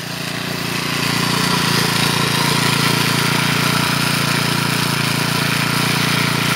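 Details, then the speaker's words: Troy-Bilt four-stroke weed eater after clutch repair, cold on half choke; steady high-pitched drone with a quick even beat that never drops to a slow idle, trimmer head spinning continuously; idle speed set too high, needs adjusting. "that Idol needs to be justice the heads continuously spinning it doesn't slow down or stop"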